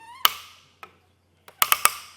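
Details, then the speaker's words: Thule WingBar Evo roof rack on 2025 Subaru Crosstrek: sharp dry ratchet clicks, a few single then a burst of three, as the clamp knob's torque limiter signals it is fully tightened. "And the way you'll be able to tell if it's all the way tightened is when you hear some clicking."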